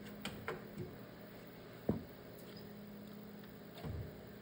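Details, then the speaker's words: Solar Fox arcade game board after repairs, one audio cap still unchanged; low mains hum with sharp pops every second or two and no game sound; amplifier popping. "I'm still getting the same popping sound"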